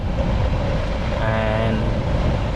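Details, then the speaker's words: Ford Fusion cabin blower motor, passenger side: the newly installed replacement spins with a steady smooth whirring hum and no ticking, unlike the old motor that ticked. "it's just spinning without any noise any ticking sound so i hope you can hear the difference between those"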